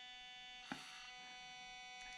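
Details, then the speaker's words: Orlandoo 1/32 Tacoma/Tundra crawler with stock Orlandoo ESC at its slowest speed on an easy incline: loud steady multi-tone high whine; stock controller is very loud and cannot climb slowly. "it's not super bad it's super loud but check my index finger i can't really slowly climb this super easy incline"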